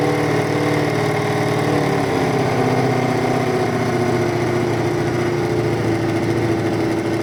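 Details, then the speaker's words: Lumpy idle on the beaten-up BMW F650 Funduro after starting with a little choke: loud steady idle with an uneven, slightly loping beat and faint hunting tone; sounds great but a little lumpy. "it sounds great it's a little bit lumpy on the Bauman's if you were going to keep the airport was like that you would now have to balance it again"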